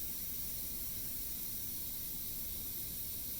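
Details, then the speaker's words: Pampered Chef Quick Cooker venting after cooking pot roast: a steady, even steam hiss with no sputter that grows lower as the pressure release nears completion; normal venting. "It smells incredible, but we're sitting here waiting for it to release. You can hear the hissing getting lower, meaning it's almost done."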